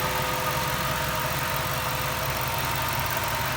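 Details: 1998 Jeep Wrangler TJ with swapped-in 5.3 LM7 V8 from a 2003 Tahoe, after a couple hours of on-off idling and fixes; steady, even V8 idle with a smooth low rumble, no knocks or misses. Normal idle.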